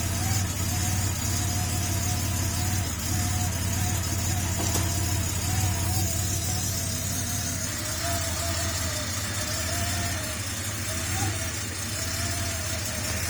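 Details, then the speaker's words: Porsche 930 Turbo, first cold start after fitting an oil inlet one-way check valve meant to stop start-up smoke: smooth even idle with slight rhythmic pulse, no misses or knocks; normal cold start idle. "Just wanted to show you guys a first startup on this 930 turbo."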